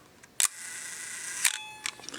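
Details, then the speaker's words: Vintage film camera set to 1-second shutter speed, wound and fired: crisp click, an even slow-speed gear-train buzz for about a second, then a closing click; slow-speed escapement running smoothly. "one of the first things I'll do is set it on a low shutter speed like 1 second and the reason I'm doing that is because I want to hear the slow speed gear train"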